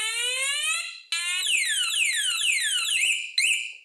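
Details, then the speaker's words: Simple motorcycle/scooter alarm on 9V battery, sensor tilted repeatedly: loud electronic siren with quick rising and falling sweeps, cutting out then restarting; alarm triggered, working normally. "Nếu tiếp tục di chuyển, thì nó sẽ kích hoạt và bắt đầu kêu rất to."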